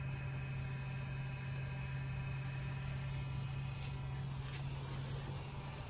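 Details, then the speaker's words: 1986 Ford Bronco with new fuel pump and wiring: at key-on, with the engine off, a quiet steady electric hum as the pump primes normally; owner says it dies when the pump cuts out. "so you hear the fuel pump kick on"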